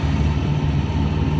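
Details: 1953 Ford Customline engine revved after homemade exhaust crossover pipe repair: deep even rumble, no knocks, ticks or rattles, sounds okay; oil pressure low and falling at idle after two minutes run without oil pressure, owner suspects clogged filter.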